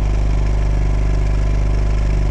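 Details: Champion 2500 W inverter generator, 79cc engine, started cold on choke after replacing Torch E5T spark plug with NGK BPR7HS: steady, even low hum with no misses or knocks; normal running.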